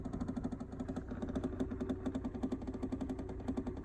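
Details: 2011 Hyundai Elantra cold start in about 100°F weather: fast, loud, regular clicking knocks, four to five per second, felt from the steering column, persisting in reverse; first time this loud, cause unknown.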